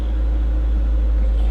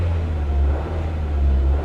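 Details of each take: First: Car with 112,000 miles, started on a booster pack after it earlier seemed locked up; deep, even, steady idle with no misses or knocks, running well. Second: 1950s Chevy coupe at salvage auction, creeping in gear under light load: low rumble swelling and dipping every second or so; engine surging, owner suspects old gasoline.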